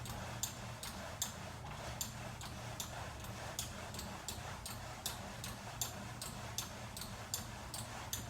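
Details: VersaClimber second unit, a new replacement: sharp high squeaks about once a second with each climbing stroke, same as first unit; source unknown.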